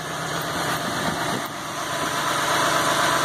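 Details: Ford F550 6.8 V10 running with top end open, oil visibly flowing from galleys; after fouled plug found as misfire cause. Smooth, even idle, no stumble or skipped beat: no miss at all.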